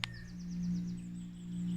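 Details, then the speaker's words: 12 V diaphragm water pump wired straight to a 150 W solar panel (wouldn't run on 80 W), intake near the river surface, pumping over a long distance and a large height: steady low even hum, no surging, birds outside; running smoothly. "And you hear it kick in. That's it. It's fine being so close to the surface because it's not like a massive flow, so it's not drawing loads and loads of water, so there's no vortex on it."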